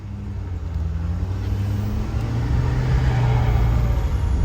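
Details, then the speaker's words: 2014 Ford F-250 6.7 L Powerstroke turbo diesel idling after frame-rail Motorcraft fuel filter change and priming, about a tenth of a gallon of fuel lost: low even rumble, no misses or knocks; smooth idle. "oh yeah she sounds smooth now fellas she sounds real smooth lost about a tenth of a gallon"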